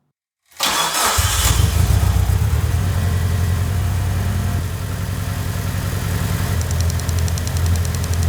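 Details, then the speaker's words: Mitsubishi Evo, hard starting and rough lumpy idle, number 3 spark plug found wet; engine cranks, catches, then stumbles unevenly. Long-screwdriver listening test on each injector: no clicking from injector 3, so misfire from dead injector number 3. "I listen to each injector, but there's no clicking sound coming from injector number 3. So the long screwdriver test shows that number 3 injector is not working properly."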